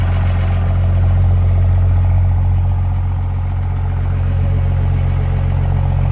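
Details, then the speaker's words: 5.9L 24-valve Cummins diesel in a one-ton project truck, after a no-start: water-contaminated fuel drained, crank sensor ground wire fixed, started on one old battery with a booster charger. Steady, even diesel clatter with no stumbles or dropouts; normal idle. "Okay, so ground wire on the crank sensor the whole time. It's fixed up now, it's running."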